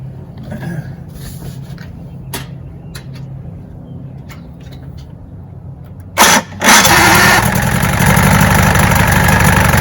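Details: 1965 Evinrude 75 hp Electromatic two-stroke outboard after a new water pump impeller and lower unit service: it catches and settles into a steady, even idle, pumping water well from the exhaust hole; running healthy.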